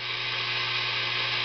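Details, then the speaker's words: Tube guitar amp during an oscillator/tremolo circuit build: loud steady high hiss over faint low hum, radio interference picked up by two pots' unconnected wires feeding the oscillator tube; the hiss changes as the pots are turned. "the hissing, it changes. And these wires aren't hooked up to anything."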